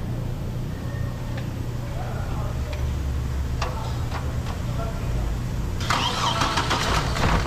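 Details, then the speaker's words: 2008 Hummer H3 cranks steadily but won't start. Shorted coil number 5 blows the 15 A fuse. Found by unplugging coils one at a time while cranking and watching the fuse. "So yun nga mga kasero h rin pumutok Ayan oh Hala pumutok Pumutok siya sa number five Ayan oh pumutok y number five so ang gagawin natin kaalis natin number f Apat lang pagaganahin nating coil"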